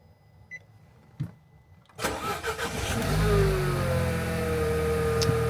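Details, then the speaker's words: Nissan Qashqai 1.2 DIG-T after timing chain and failed VVT sprocket replacement; it cranks briefly, starts on the first try and settles into a quiet, steady idle with no misfire, knocks or rattles: normal start and idle. "But yeah, listen to it. [Music] that nice and quiet, no misfire,"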